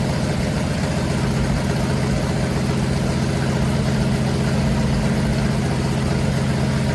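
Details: Freshly built 500 cubic inch stroker big block Mopar V8 on a run stand, first start after advancing the timing to cure a carburetor backfire: steady even low rumble with no misses, pops or knocks; normal idle.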